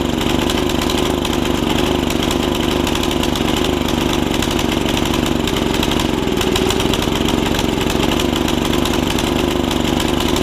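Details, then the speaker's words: Snapper tiller, 5hp Briggs engine, after a stuck valve fix and a new carb diaphragm: it chugs heavily and blubbery at idle, running rich and unable to be leaned out; the owner wonders about a jet issue. "running rich can't get it leaned out good enough"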